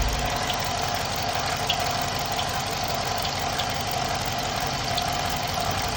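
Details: 2015 Dodge Charger at idle: steady hum with faint, irregular high chirps every second or so; source of the chirp not pinned down.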